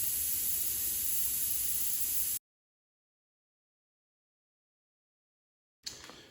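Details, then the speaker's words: 2010 Shelby GT500 on a lift, right rear tire: pulling a long nail out releases a steady hard hiss of escaping air that cuts off abruptly; the nail punctured all the way through. "So let's go ahead and try to pull this nail out and see if we have a leak. Oh yeah, I hear it."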